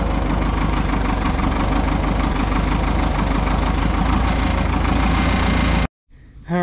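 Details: Front-end loader that sat 15 to possibly 30 years, revived, damaged boom hose being replaced: steady clattering diesel idle, even rhythm, no stumbles for several seconds before shutting off; healthy normal idle.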